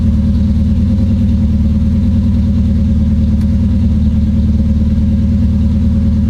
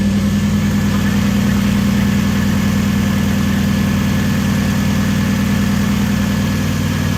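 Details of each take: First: Supercharged KA-swapped Nissan 240SX after a coil-on-plug ignition conversion, launch control on a new circuit: engine held at a fixed, choppy rev with rapid stuttering cut-outs. Launch control is stuck always active; the ECU was not the cause. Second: Supercharged KA-swapped Nissan 240SX after converting from a Ford wasted-spark system to sequential coil-on-plug ignition: steady, even idle with a smooth low hum and no misses or knocks, holding level until shut off. It started like it always did. Normal idle.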